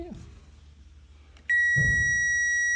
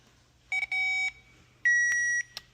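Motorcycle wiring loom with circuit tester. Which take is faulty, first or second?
second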